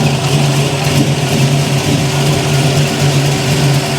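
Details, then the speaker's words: 1971 Chevy Nova V8 with mufflers, started while setting distributor timing: steady deep smooth burble, no ticking or puffing, no exhaust leaks; healthy idle. "See if she'll run. Sounds good. Don't hear any exhaust leaks."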